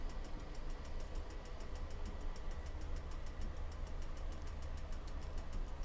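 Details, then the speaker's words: Swift Conqueror 480 caravan fridge being lit on gas: sharp, even clicks about five a second over a low steady hum, the igniter sparking normally for about 30 seconds until the flame lights. "we'll come on to gas you'll hear that start to tick and you'll hear ticking for about 30 seconds"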